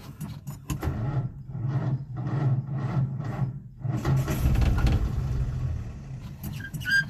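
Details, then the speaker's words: Old Nash on a 6-volt system after replacing a cracked glass fuel sediment bowl with a fence post cap: slow, even starter chugging at two to three turns a second that never catches; out of fuel, carburettor needs priming, battery getting hot. "Come on, baby. Come on. Uh-oh. She is out of gas. I don't think this is going to work."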